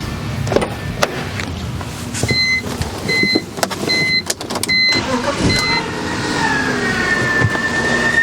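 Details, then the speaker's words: 2000 BMW 323i engine starts and idles with a steady high-pitched scream from a seized idler pulley, fixed by replacing the idler pulley and belt. "this one's making a really odd noise that I've never heard anything like"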